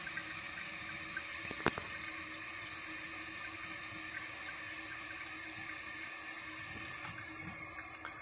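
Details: Newly installed Project Source Pro toilet, replacing an old leaking one: steady hiss of water into the tank with light splashing, no sputter or hammer; fill valve refilling normally.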